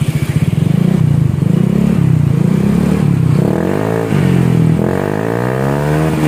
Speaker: Oke kita coba di hidupkan ya sekarang ada seperti ini bro lebih lembut suaranya ya